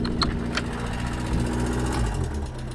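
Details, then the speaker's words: Two 1976 Reliant Robins, one a van just fitted with a fuel pump, idling side by side: small engines ticking over evenly, steady and settled, one sounding a bit loud; healthy idle. "But yeah guys, two beautiful little Reliants, idling quite happy."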